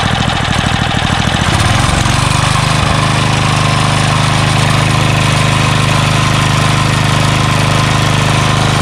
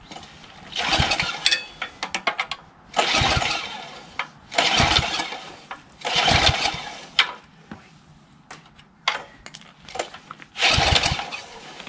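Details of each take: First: Craftsman 3 HP Tecumseh lawn edger after water-contaminated oil change, new carburetor, fuel line and air filter: catches after a couple of pulls and runs a steady, even hum with no stumbling. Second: Craftsman 3 HP Tecumseh lawn edger with water in the engine, oil changed: repeated pull-cord attempts with a brief cough, never catches; spark present but carburetor corroded and iced, so fuel not getting through.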